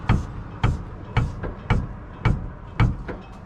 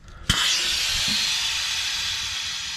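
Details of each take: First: Stewart & Stevenson LMTV 1088-series 6x6 military truck, passenger side cab air suspension: sharp hollow clunks as the cab rises, caused by worn upper mount bushings on the shocks inside the airbags; fixed by new airbags. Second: Military LMTV (Stewart & Stevenson 1088 series 6x6 5-ton) cab air suspension after fitting new airbags to fix shock upper-mount bushing clunk: sharp air rush as cab lifts, easing over three seconds, no clunk on repaired side.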